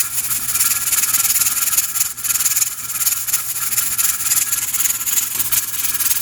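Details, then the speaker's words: Pressure canner with 6 raw-pack jars of boneless chicken thighs: steady steam hiss with a fast, soft jiggling rattle, several times a second, as the regulator weight rocks evenly, limiting pressure to 10 psi. "So what that's doing, it's not allowing the pressure canner to build up any more pressure than 10 psi or 10 pounds."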